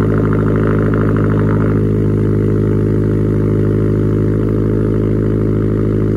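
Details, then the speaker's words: Subaru STI, complete cold start after sitting two months: flat-four settles from a brief fast cold idle into a steady, even burble with a lumpy low beat; normal cold start idle. "let's go ahead let's start it up and uh hear what it sounds like from my complete cold start after two months"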